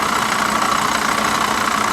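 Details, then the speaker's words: C4 Chevrolet Corvette at auction yard, fired right up: quick even ticking over rough idle with mid-pitched whir under the hood; suspected water pump or accessory, not confirmed. "That sounds uh that sounds a little sketchy, but she did fire right up on her own. Got to give her that. Yeah, that sounds like a water pump or something."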